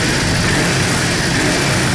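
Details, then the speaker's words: Yamaha Drag Star 650 V-twin after new intake boots, TPS adjustment and vacuum-gauge carburetor synchronization: strong, steady note holding even without stumbles or surging, sounds and accelerates much better than before; normal idle and revving. "the truth is that as you have seen it sounds much better than before, it accelerates a lot better than before"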